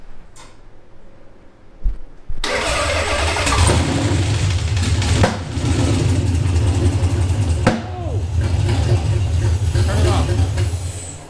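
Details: Nissan VH45DE V8 coupe, first start after engine fix, with fuel lines insulated near the header: a short crank, then it catches and settles into a steady, deep idle with a couple of blips; it starts and runs cleanly.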